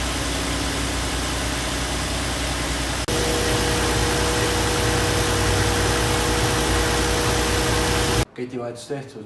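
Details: Audi TT 3.2 VR6 idling, shown with a timing chain replacement: steady, even idle with a constant low hum and a faint steady tone above it, no knocking or rattle; engine sounds healthy.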